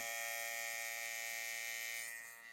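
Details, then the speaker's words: TATVIDA rotary tattoo machine at 4.2 mm stroke: loud steady high-pitched metallic buzz easing slightly at end; abnormally loud buzzing, maker says normal. "Là, je suis en 4,2 de débattement. Ça va vous casser les oreilles de bosser avec ça, je pense."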